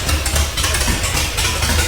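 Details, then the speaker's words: Newly built world's largest off-road wrecker, first start after adding missing chassis ground for fuel pump, no transfer case yet, open headers: loud deep even rumble with slight shaking; normal running. "are you ready contact i was sleeping that sounded amazing a little shook shaking a little bit"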